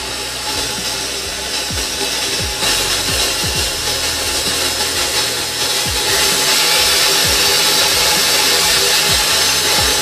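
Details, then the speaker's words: Vintage KitchenAid Model 4 three-speed mixer after full restoration and powder coating: steps up through its speeds cleanly, with an even whirring hum at each step and no grinding or knocking. Gears sound good; normal running across speeds. "Alright, so it runs good, speeds sound good, gears sound good, everything sounds good with it,"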